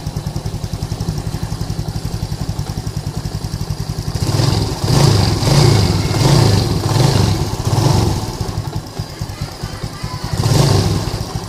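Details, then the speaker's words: Yamaha Lagenda 115 fuel-injected, which previously sputtered and stalled when hot, after two faulty parts were replaced and fuel pump checks came out normal. Small single thumps at an even idle, then clean throttle blips with no stutter: fixed, running healthy. "Oke geng ni motor dah settle e dari segi semput dari segi panas dia mati Tu Semua dah hilang complete dah hilang"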